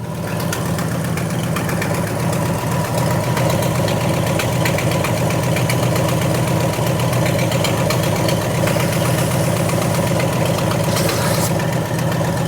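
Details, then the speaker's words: 1968 Ford XL Fastback, 390 Z-code big block, Autolite 4300 carb, first start with timing and plug gap unchecked: steady V8 idle with a sharp, rapid puffing tick on each firing pulse, an exhaust leak on one side. "Big time exhaust leak over here. I can hear it. We're going to have to figure that out."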